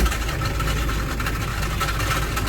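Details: Citroen Berlingo 1.9 diesel at a steady idle with a rough dragging rasp over the clatter; worn crankshaft (bottom) pulley, later replaced.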